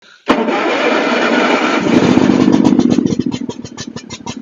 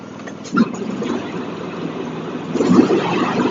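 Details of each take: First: John Deere X324 all-wheel-steer riding mower with automatic choke, suspected of water in the fuel: the engine catches, then settles into an uneven, loping thump around four beats a second, like an old two-cylinder John Deere. Rough running. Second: John Deere X324 riding mower, after repair for rich running, run outside with the blade engaged: steady, even single-cylinder running under blade load, no knocking or misfire; some smoke from unburned gas in the muffler. Sounds good.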